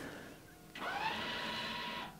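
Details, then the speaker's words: Tesla Model 3, in P with brake pressed, transport mode selected on screen before brake service: short electric whir for about a second and a half, then clean cutoff as rear electric parking brakes disengage normally. "et là on entend les freins arrières qui viennent de se désengager"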